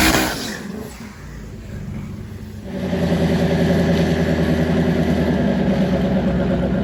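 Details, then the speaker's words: Twin turbo Hemi Dodge truck drag launch: quiet, then the engine flares to a high steady roar without pulling down as the tires break loose; leave RPM too high, and the bump did not work. "I guess we're going to need to lower the leave RPM because it just blew the tires off"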